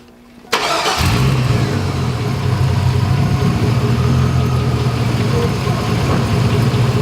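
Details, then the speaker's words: Truck restarted after cutting the belt to the failing AC compressor that caused a grinding howl, engine not cold: it catches quickly into a steady low idle, much quieter with no howl, though other knocks are now audible: normal idle. "It's much quieter, like by a lot. Matter of fact, I can hear things I don't want to hear now, like different knocks and pecks."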